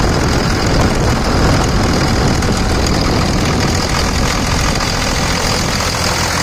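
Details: A 2000 Dodge Ram 2500 with the Cummins diesel and about 210,120 miles idles with its AC compressor pulley bypassed by a 65" non-AC serpentine belt; heavy, steady clatter and even low rumble, no squeal or knock: normal idle.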